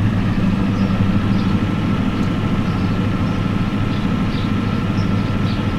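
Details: 1993 Ford F-250 7.3L IDI diesel with new injectors: lumpy uneven idle with heavy irregular clatter and heavy smoke; injection pump checked and confirmed out of time.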